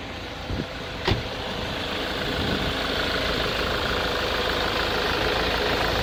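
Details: Jaguar 2.0 diesel on a cold morning: uneven, lumpy idle with a couple of stumbles early on, white smoke and hardly any throttle response, fine once warm; oil, MAF sensor and camshaft position sensor recently renewed, glow plugs tested OK, cause unconfirmed.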